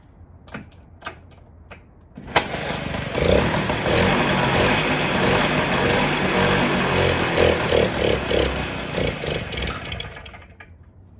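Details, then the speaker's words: 1958 Allstate (Sears) Vespa 125cc two-stroke, cold, first start in about a year, choke on, fresh fuel added: a few kicks, then starts first try and runs with a fast, even buzz before fading out; healthy cold start. "started first pick that's crazy but it was only running off the gas that we put in it"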